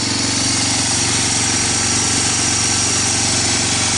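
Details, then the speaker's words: Barn-find Honda TRX250 ATV, parts donor left outside, started on starting fluid with kick starter: steady, even single-cylinder idle with a fast regular patter, no knocking or rattling; idle turned up. Engine sounds healthy. "bad sounds nothing in the oil week I got the idol turns up"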